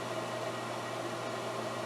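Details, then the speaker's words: Garage pellet stove after installing a new blower motor to replace the noisy original: blower kicks on with an even, quiet whir and low steady hum, no grinding or bearing whine; much quieter than before. "all right the blow just kicked on and as you can hear it's a lot quieter than it"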